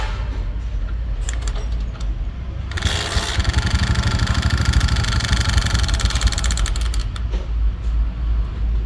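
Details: Hero Splendor small single-cylinder bike engine started with the engine opened up; uneven idle with a rough, clattery mechanical rattle of unclear source, no steady rhythm. Abnormal engine noise.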